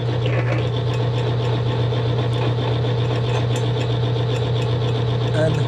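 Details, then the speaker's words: Militec-1 friction test rig at steady speed under applied load, around 2 minutes in after adding Militec: constant low drone with a gritty, scraping abrasive rub, expected to lessen as friction drops; metal rubbing noise. "please pay attention to that sound, what just happens over time when Militec is added, how that rubbing kind of abrasive sound changes, showing that actually friction has been reduced."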